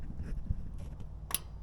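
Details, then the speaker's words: Champion dual-fuel generator that won't start, gasoline mode, microphone down near the fuel shutoff solenoid: quiet background, then one short, subtle click when the power switch is turned on, the solenoid energizing as it should. "so it's a real subtle click but you can definitely hear it and it's not this click of the switch it's a click back here"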